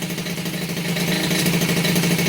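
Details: Rebuilt Peugeot 103 RCX moped two-stroke, first start after reassembly, carburetor not yet tuned: fast, even putter with steady buzzy pitch, no misses or rattles; idling cleanly.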